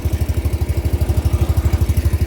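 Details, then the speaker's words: Dixie Chopper 60-inch zero-turn mower, firing on one cylinder, not at full throttle: engaging the PTO makes it bog. It slowly recovers with steady low thumping but never reaches full speed. Owner suspects the carburetor or a weak fuel pump; not confirmed. "see how it dies and it takes a while to come back up to speed and it's still not coming all the way to speed"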